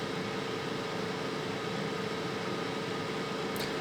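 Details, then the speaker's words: Oupes 1800 power station cooling fans during DC discharge test from 100% charge, just under 10 A at 11.7 V: steady airy white-noise hiss with faint constant hum, no rattle, about 52 dB; normal. "So right at about 52 decibels. With a nice, quiet, white noise sound. So not terribly intrusive."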